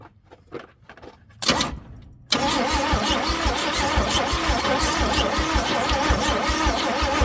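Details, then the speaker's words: Chevrolet C10 on a first start attempt after a battery cable cleaning: the starter cranks with a steady, dry, screechy chugging rhythm and it never fires, even with fuel dumped in. Owner suspects no spark, cause unconfirmed. Crank, no start. "It sure sounds dry though. You hear it just screechy, screechy, screechy, and dumping fuel down it doesn't help."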